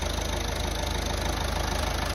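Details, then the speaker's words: Ford Transit Connect 1.5 TDCi diesel first run after head rebuild following timing belt failure: steady even diesel clatter at idle, regular low pulse, no misses or knocks; healthy, no leaks. "well I'm a happy boy obviously to hear an engine run after all that work it's it's very good it's music to my ears"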